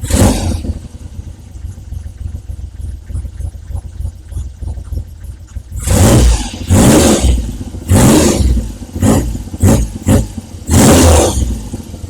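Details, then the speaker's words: Triumph Trident T160 motorcycle, engine already warm, first start after re-jetting carburettors (poor running near 2,500 rpm) and rocker box reseal: stable tickover then crisp throttle blips returning cleanly; normal revving. "It seems to be running really well, but obviously I've got to give it a road test. Won't [snorts] know till then, but it seems to be really good. Ticking over really nicely. Revving nicely. Stable tick over. All good."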